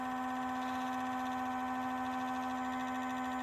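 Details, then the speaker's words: 2013 BMW X5 E70 with the N63 engine, after a cooling-system refresh, ignition on and engine off before the bleed procedure: a constant mid-pitched electric hum that ran several minutes without stopping; the auxiliary coolant pump runs continuously, and the owner is unsure whether that is normal. "i was going to do the bleed procedure but as you can hear this little pump here this little one it's going to town on its"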